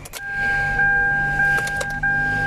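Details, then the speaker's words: 2015 Hyundai Elantra after repair of a short circuit in the interior smart junction box that drained the battery: steady electrical hum with faint soft clicks at switching, no relay chatter or strange noise; electrics now normal. "Ya apaga. No oímos ya chasquidos. Ni un ruido extraño."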